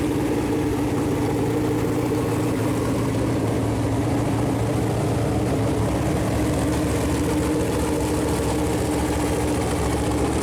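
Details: Freshly built Chevy Performance 454 big-block V8 on a run-in stand, first start, temp around 190, good oil pressure: deep even burble with strong low drone throughout; normal idle and revving.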